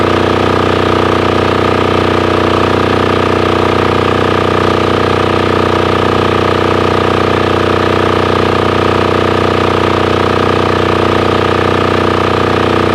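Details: Formerly non-running Titan 7500 W diesel generator revived after cleaning, started on a weak jumper box using compression release: steady even diesel thrum at constant governed speed, no knocks or hunting; normal running.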